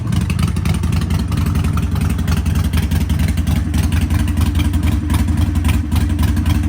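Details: Harley-Davidson Sportster 1200 with Vance & Hines exhaust and K&N air filter, after ECU reprogram for a fueling and poor-running problem, no error codes: loud, deep V-twin thump at a steady fast idle with brief throttle blips; runs clean and even.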